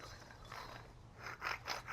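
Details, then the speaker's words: Lincoln Aviator front wheel bearing, hub removed and turned by hand: gritty, ratcheting grind in rough pulses, a growling worn wheel bearing. "Bearings are not supposed to sound that way."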